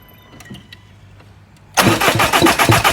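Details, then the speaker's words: Ford Mondeo Mk5 2.0 diesel that cut out and won't restart; steady fast cranking about four beats a second, camshafts turning, fuel reaching pump but zero output from high-pressure pump (later found broken shaft); crank no-start. "So we know the camshafts are turning, but there's absolutely zero fuel coming out of here. I can hear the fuel flowing through the fuel filter around to the pump, but we've got nothing coming out of the pump."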